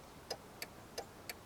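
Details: Turn signal flasher on a 2000 Jeep Cherokee XJ with the engine running, tested after replacing the faulty turn signal switch: crisp, even ticks about three per second over a quiet background; flasher clicking normally and signals cancel.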